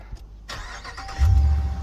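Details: 2019 Dodge Ram Rebel, after a crank-no-start caused by the floor mat slightly pressing the throttle; with the mat moved, a short crank, then the engine catches cleanly and settles into a steady low rumble, starting normally.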